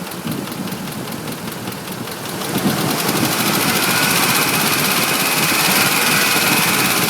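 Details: 2005 Ford F150 5.4L V8, nearly 89k miles, Motorcraft 5W-20: rapid even ticking about four per second rising with revs; knock now at all RPMs, new in recent days; owner and two dealers suspect cam phaser, unconfirmed.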